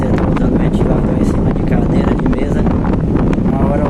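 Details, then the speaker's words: Britânia Turbo fan, repaired after a fall had left it vibrating and noisy, running on the bench after cleaning: steady rushing airflow with no knocking, wobble or vibration. "o ventilador já tá funcionando ele não tá vibrando ele tá funcionando aqui em cima da bancada"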